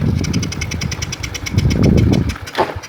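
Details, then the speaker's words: Karisma motorcycle that dies suddenly after being ridden briefly but restarts quickly: uneven, ragged firing falters when throttle is opened, then engine dies; cause found to be shorted ignition coil cutting spark. "Ia cenderung mati saat ditunggangi, lalu benar-benar mati."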